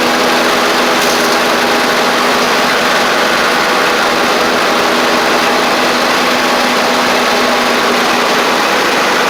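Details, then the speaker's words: Free John Deere L110 riding mower after fuel pump replacement; the old pump flooded the engine, likely because its cam lobe kept it from closing the check valve. Single-cylinder engine holds a steady, even drone with no surging or hunting; normal running. "and we're dry around the where I put the fuel line on so it was the fuel pump how about that um pushing way too much fuel in there"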